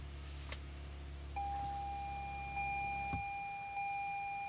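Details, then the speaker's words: 2014 Toyota Avalon Hybrid, foot on brake, power button pressed: steady high chime with soft ticks, no engine; check charging system and key warnings appear, car won't go ready. "got that error again so everything starts as if except we got all the error codes check charging system error we have that key looking error"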